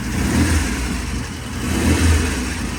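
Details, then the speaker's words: Vintage British motorcycle, first start on remote gas tank after setting ignition timing with strobe, good oil flow, no smoke: two clean throttle blips, crisp even firing, no misses; normal running and revving. "we just set the timing and uh the bike sounds really good"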